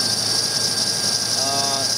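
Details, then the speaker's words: Ford engine running with a cam sensor code stored: a brief high-pitched chirp from the serpentine belt over a steady hiss, noted as easily confused with a failing cam sensor. "that is the serpentine belt sometimes you'll get a mistake and the chirping that you start hearing sounds like a belt and it ends up being the cam sensor"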